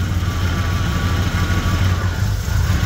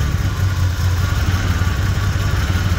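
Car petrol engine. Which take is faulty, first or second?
second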